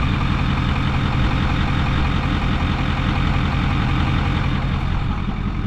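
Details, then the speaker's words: Ford 6.4 Powerstroke diesel in a Super Duty after a longblock replacement, with new up pipes and EGR/cooler delete: starts right up, zero blow-by, deep even diesel clatter at idle, smooth steady rhythm with no misses or knocks; normal idle. "See, 0 blow by. Let's listen to it idle. Sounds great."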